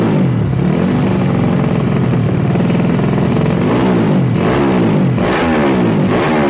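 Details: Yamaha Jupiter Z bored-up engine used daily, fresh oil, new spark plug and fuel: loud throaty idle from racing pipe, then sharp rising revs that build and drop cleanly; normal revving.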